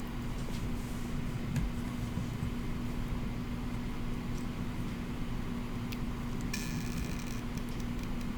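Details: Xbox One X power supply when plugged in: a steady low hum-whine with faint ticks; the console powers on then shuts off. The 12 V output measures solid; the owner suspects a bad power supply.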